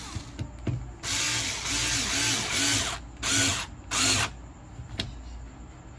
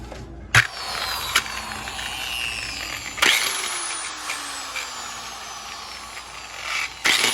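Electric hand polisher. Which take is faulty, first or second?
second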